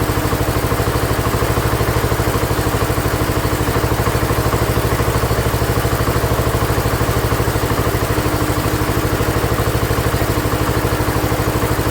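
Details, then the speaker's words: Ford LGT145 garden tractor, parts-yard rescue, after head gasket and carburetor set to factory specs: even single-cylinder beat around three per second, steady with no misses or knocks; runs amazing, clean idle. "runs amazing with the head gasket."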